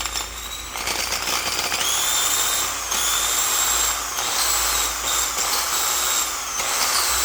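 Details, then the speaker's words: Old Milwaukee Magnum drill found rusted and corroded in a shipping container, gearbox opened and regreased: harsh, rough grinding hiss over a high, unevenly wavering whine; gears are grinding against each other, and the drill is judged pretty much junk. "it sounds like there's gears grinding against each other and it's not a healthy thing"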